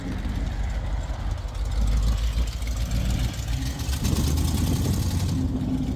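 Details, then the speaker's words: 1974 AMC Javelin, sat about 20 years, with AC on: low uneven idle that lurches and stumbles instead of settling — rough running, transmission also slips; cause not confirmed. "one good and that thing runs like [ __ ] is it poopy"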